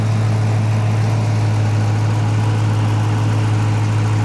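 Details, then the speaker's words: 2016 Dodge Challenger 5.7 L Hemi V8 with Shaker hood at idle; deep, steady low rumble with an even burble and no ticks or knocks; normal healthy idle. "Yeah, this is She will get up and go now. She does sound good, too."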